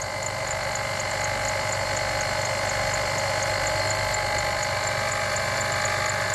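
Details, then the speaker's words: 2006 Jeep Liberty at idle: steady growling, grinding whir with a faint high whine from the alternator; its bearings are beginning to fail though it still charges. "That is the bearings in the alternator beginning to fail. The alternator is still charging, but the bearings in it are beginning to fail."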